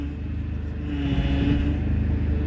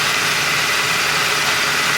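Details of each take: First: Turbo PT Cruiser GT on its first drive after reinstalling the Getrag transmission with a new clutch kit: low, uneven drone under road load that stumbles; rough running, and a check engine light with power loss soon follows. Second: Turbo PT Cruiser GT on a 30° day after transmission reinstall with new clutch and a temporary seal fix: steady even idle with no misses, knocks or hunting; running fine.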